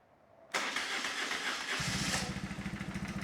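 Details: BMW R1150R twin that sat for five years and was diagnosed as no crank/no start; fuel pump primes, then about a second of starter whir before it catches cleanly into a steady, even idle pulse. Mice suspected nesting in exhaust. Normal start and idle.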